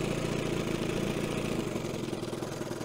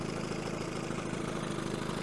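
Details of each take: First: 1970 Evinrude 25HP outboard after condenser change, in gear at low idle: low, uneven putter with stumbling, spaced-out firing; it stalls though it wanted to stay running, so the idle gets raised. Slow-speed needle being adjusted, thought to be running too rich. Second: 1970 Evinrude 25HP outboard after condenser change, out of gear: low, even two-stroke burble with the throttle handle all the way down where it should be, no stumbling; may still be running a bit rich on the slow-speed needle.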